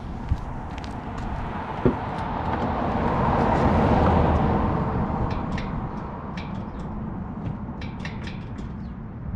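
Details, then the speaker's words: 2018 Chevrolet Camaro ZL1, LT4 supercharged V8, long-tube headers, slightly warmed up: a loud, deep, steady burble at idle with a few revs and no leak ticking, so the exhaust is healthy. "yeah that's the sound at idle we let it warm up a little bit give it a few little revs it is abnoxious just crazy"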